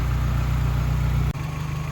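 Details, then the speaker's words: Geo Tracker after replacing the camshaft seal, crankshaft seal, water pump and timing belt to fix oil leaks, cold and warming up before the antifreeze top-off: smooth, even idle with a brief dip; runs fine. "yeah it's so far so good the new uh timing cover looks really good on there everything's running in order"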